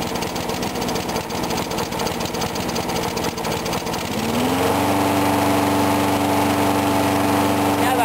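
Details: Briggs & Stratton mower engine cold-started at 35°F after long sitting, water suspected in the gas; started first pull. Speeds up smoothly around four seconds, then holds steady even pitch without hunting or missing; normal running.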